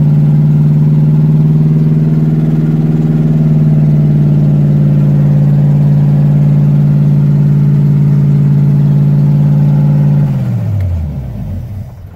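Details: Engine with HEI ignition and solid motor mounts, first start in the car: loud, steady fast idle with a deep even drone for ten seconds, then winds down as it shuts off; shakes the whole car. Cause of high idle unconfirmed.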